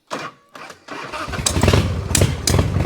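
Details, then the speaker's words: Harley-Davidson V-twin with suspected clutch problem, cold morning start with fuel left on overnight, no choke used; a few cranking bursts then catches and settles into lumpy even beat, starts cleanly cold. "that's a cold start. That's me started this morning. Give a bit of a warm up. never needs choke, this bike, never needs choke."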